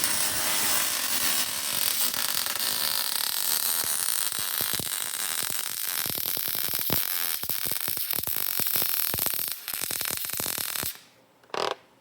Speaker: Hear how it's like the same sound the whole time? It doesn't like change. That means he's got the wire speed dialed. He's holding the torch in a good spot.